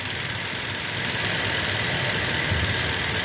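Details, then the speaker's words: Car after driving through floodwater, engine idling, owner worried about a clutch noise: light, even ticking about four a second over a steady idle, no knock or miss; the engine's normal built-in valvetrain tick. "ini suaranya suara mesin aman memang gitik bawaan begini sih"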